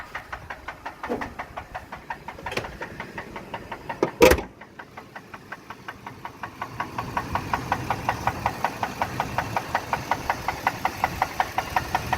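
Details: Ford F-150 5.4 V8 at idle after running low on oil: sharp, evenly spaced knocks about three a second over the idle, deep bottom-end rod knock.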